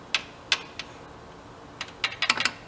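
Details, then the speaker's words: Broken Big Joe electric personal lift, motor possibly burned out, wired directly to a terminal; sharp isolated clicks, singles then a quick cluster, contactor pulls in but no motor hum and the motor never turns. "Something's clicking. It is clicking that motor."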